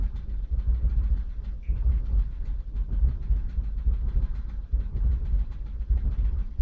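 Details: 2002 Vauxhall Corsa C 1.0 with codes P0300, P0301, P0302, misfiring since an oil change despite new plugs and coil pack: lumpy, uneven idle with irregular thuds and stumbles; ECU suspected by a garage, not confirmed.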